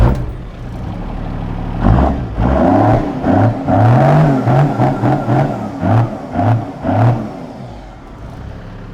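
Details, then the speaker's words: Toyota Land Cruiser HJ47 swapped from 2H to a 12HT turbo diesel, revved: deep diesel clatter rising and falling through several throttle blips, revs climbing cleanly and settling with no knocks; healthy engine. "Oh yeah, you can tell it's a diesel. You guessed it right, it's a 12HT, the power horse."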